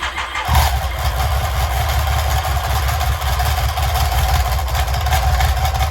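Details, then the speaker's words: BMW K75 after gearbox and clutch work, suspected intermediate-housing spring plate fitted on the wrong side: the engine starts after a short crank and idles with harsh gear chatter. Owner suspects the alternator and starter drive gears. "So the whole thing, the gears that are related to the alternator and the starter motor are not sounding really good."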